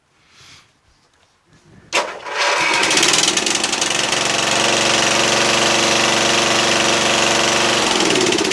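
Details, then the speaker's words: Yard Machines MTD lawn tractor repowered with Toro 12.5hp Briggs flathead, safety switches bypassed, magneto kill wire extended: engine cranks briefly, catches cleanly, runs steady, then winds down when switched off via ignition; normal start and shutoff. "There we go. And it shut off. Awesome."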